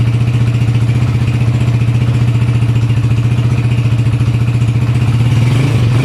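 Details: Honda TMX 155 single after overhaul with new piston and connecting rod, breaking in: steady even thump at fast idle, about 220 beats a minute, no knocks or ticks; engine sounds healthy.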